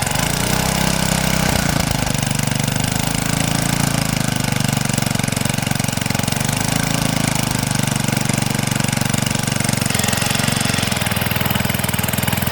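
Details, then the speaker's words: 1970s Hahn Eclipse BHT-120 tiller, 3.5 hp flathead Briggs & Stratton, revived after decades, tilling wet dirt: steady low chug that dips and recovers as it digs; normal healthy running under load. "Thing's a workhorse. Works great."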